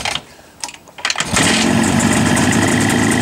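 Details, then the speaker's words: Jawa two-stroke motorcycle that stood unused since last summer, cold-started on the choke/enricher: a few kicks and coughs, then it catches and settles into a busy, even idle with a soft intake hiss. Clean cold start. "Эта Ява стояла с того лета, как и это. Вот так она работает на обогатителе."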